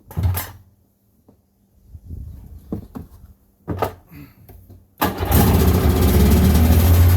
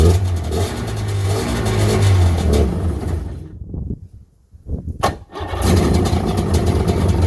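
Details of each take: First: 1996 Sea-Doo GTI rebuilt two-stroke engine on first fire-up, out of water, with a new carbon seal. After adjustment it settles to a steady, fast, even idle of about 2900–3100 rpm, correct for out of water (about 1500 rpm in water). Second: 1996 Sea-Doo GTI with freshly rebuilt two-stroke engine, first fire-up out of the water: runs slow and lumpy, nearly dies midway, then picks back up; idle measured around 1400–1450 rpm, about half the roughly 3000 rpm needed out of water.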